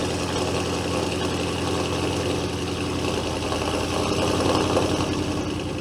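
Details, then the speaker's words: Audi 4.0 twin-turbo V8 idling after a spark plug replacement: smooth, even idle with a steady low exhaust burble, no misses or knocks, no check engine light; normal idle. "Man, that exhaust sounds good."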